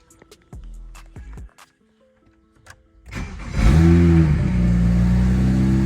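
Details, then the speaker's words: BMW 335i N54 single turbo after flashing an E85 tune, started on E85, coolant around 79: a few clicks, catches at once, brief flare then smooth, steady idle; normal start and idle, much better than before. "that's how she's supposed to start up guys way better"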